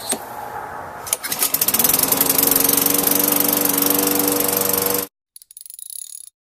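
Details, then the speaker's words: Lawn mower that would not start, fixed by removing rust so the part turns freely, after carburetor, air filter, plug and ethanol-free gas didn't help: a few pulls, then catches into a steady even beat with no misses. "So make sure you've got all your spark plug wire and stuff all out of the way. And now your mower should run like new."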